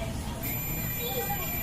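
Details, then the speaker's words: Home theatre 2030 amplifier kit with 30V supply dropping: multimeter gives steady high continuity beep across a 104 PF capacitor, showing it is shorted and causing the supply short; it was replaced with another 104. "Beep की आवाज़ आ रही है और इसी चक्कर में हमारा ये सप्लाई शॉर्ट था।"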